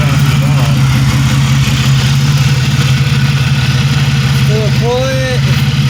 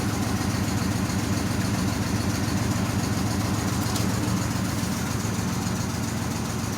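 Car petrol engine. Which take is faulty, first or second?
second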